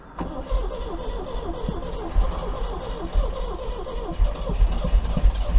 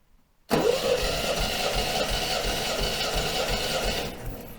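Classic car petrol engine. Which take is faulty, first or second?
first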